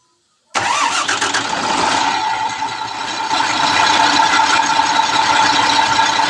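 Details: CAMC dump truck diesel that would not start, after a faulty part was replaced: a brief crank, then it catches at once and settles into a steady, even idle, starting normally.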